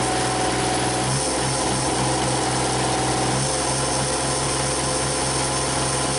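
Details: Used Cummins diesel swapped into a Komatsu PC40 excavator, thermostat fitted, running about 180° without overheating, injectors still weeping: steady, even idle with a low, firm beat and no knocks or misses; running smoothly.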